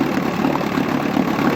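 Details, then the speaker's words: 1959 Johnson QD-20 10 hp outboard idling after dirty gas drained from the carburetor and the thermostat removed; fuel pump working, new ignition: steady, even two-stroke putter with no misses, knocks or surging, idling smoothly. "So got it all out it seems to be running fine. That fuel pump seems to be working too which is amazing."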